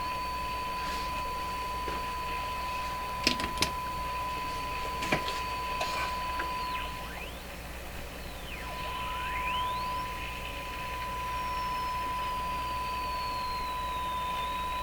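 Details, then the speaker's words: RCA A-32 Globetrotter radio during alignment, IF being moved from 461 to 455: steady high whistle over hiss with gliding chirps while tuning; heterodyne tone from interference by a nearby noise source in the shop. "so the tone you're hearing is interference from an adjacent noise signal here in my shop causing that pepperdine tone the main one you want to hear is the more musical"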